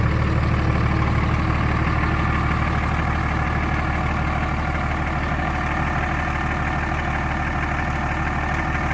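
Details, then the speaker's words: 24v Cummins diesel, about 330,000 km, warm at 89°C after valve lash adjustment, heard from outside: even clatter about three beats a second, steady with no loose ticking, sounds considerably better; normal idle. "probably really hard as hell if you don't listen to the truck all day every day but I can definitely tell sounds way better considerably better there awesome"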